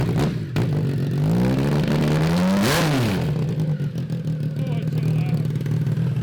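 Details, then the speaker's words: Triumph 955cc triple in abandoned go-kart project, running after crank troubles; deep even note swells cleanly on throttle blip, no misfire, though oil leaking and looking creamy, possibly water. Normal running. "wow that thing sounded fantastic dude high five"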